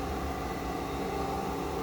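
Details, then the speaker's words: Cummins-powered 2021 machine on freshly connected batteries, testing polarity via the cab heater switch: steady low hum with a faint whirring, even and unchanging, showing continuity and DC voltage with the heater fan spinning. DC heater fan running. "heaters running but i don't dare start or do much other than that right there"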